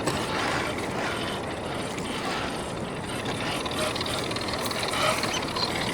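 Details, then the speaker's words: Rlaarlo JK-07 1/7 4WD brushless RC crawler, new, on 3S while crawling: fast ratcheting clicks over the drivetrain whir; transmission noisy, owner hopes it breaks in, cause unknown. "That transmission though, that's got some noise to it. Hopefully, it breaks in over time."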